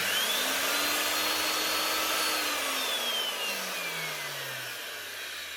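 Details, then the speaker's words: Old DeWalt DW625E type 5 half-inch router, heavily used: motor whines with harsh scraping hiss, then sags and nearly stalls on first start; worn bearings suspected, to be replaced. "start she's about free her now but that first attempt she was starting to stall definitely hurts beins"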